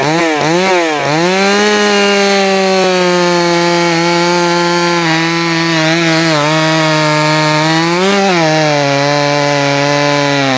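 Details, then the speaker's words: Jonsered 525 chainsaw, freshly fired up and tuned: screaming engine stumbles and sags as the throttle drops, then picks back up; too lean on the low side, so low-speed fuel is richened. "the way that it hesitate off the throttle that tells me that it's got uh it's too lean on the low side so I'll give it a little bit more fuel on the low side"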